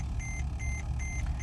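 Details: Mercedes-Benz E-Class at idle: steady high beeps about two per second over low rumble, brake system warning; brakes, rotors good but system failed, sensor or something suspected; red warning means tow only.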